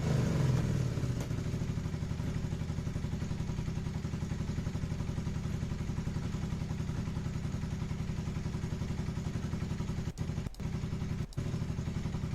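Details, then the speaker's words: Carbureted motorcycle after correcting the carburetor idle adjustment screw: a steady, even low thumping idle that drops back promptly after revving, no hunting; normal idle. "Now listen to this. actually like idles at a proper idle. It comes back down when I rev it."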